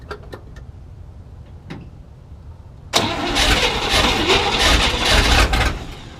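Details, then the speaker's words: 1967 Chevy C10 with 327 V8 (11,200 miles), first start after 33 years sitting, fuel system being sorted: weak cranking turns, then it catches and runs ragged a few seconds; hard start, fuel delivery problem suspected. "it did just try to kick a little bit so I figure I get the camera out so it still seems like it maybe it's having problems getting gas but it did kind of go for a minute so hopefully it starts"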